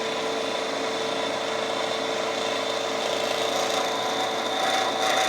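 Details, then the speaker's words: Milling a bracket for a TouchDRO install on a Precision Matthews PM-1228 lathe, hand-cranked feed at raised speed: steady high-pitched ringing, harsh rasping squeal as the cutter crosses an unsupported section; milling chatter. "you can hear how the sound really changes once we get over rigidly supported section and back on to a not rigidly supported"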